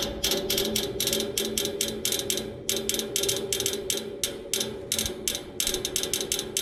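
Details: Neighbor's AC outdoor unit idle, fan off, motor replaced yesterday: fast dry ratchety clicking in uneven bursts with a faint tone underneath, from inside the unit, not the fan; stops when the fan turns on; cause unknown.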